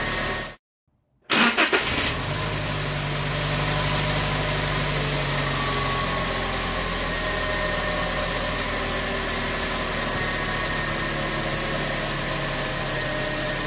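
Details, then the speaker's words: 2019 Toyota Tacoma 2.7 L, fully cold start after replacing drive belt, tensioner and idler pulley: quick crank and catch, then smooth, even idle with no chirp or rattle from the belt side; normal. "y bien como se pudo ver arranca de manera completamente normal Eso es lo que queríamos"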